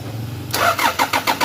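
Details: 1997 Toyota Prado: steady starter cranking at about six or seven even compression beats a second, but the engine never catches; cranks but will not start.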